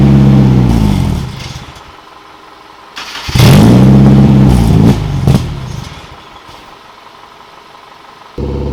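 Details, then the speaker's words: Nissan 240SX S13 coupe with KA24DE swap, after crank-no-start diagnosis and distributor timing adjusted by hand without a timing light (still suspected off); fires, revs and falls to a lumpy, uneven idle sagging between blips, sometimes dying; rough idle, cause unconfirmed. "it seemed better at times, and then it was worse, better, worse. Now it seems to fire up and idle pretty good until it dies, obviously."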